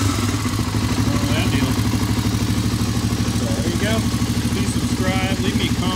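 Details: 1985 Honda ATC 350X single-cylinder, hot, after fitting a 400EX carburetor: even thump at a steady idle with no misses or stumbles; normal idle.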